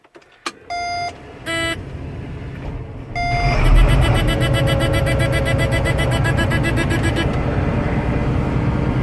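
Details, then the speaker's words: Combine diesel engine just started after an oil change, running to fill the filters: three short beeps, then steady rapid beeping about four seconds as the low engine oil pressure warning sounds briefly before pressure comes up. "at me for engine oil pressure there for a little bit, but we got her now."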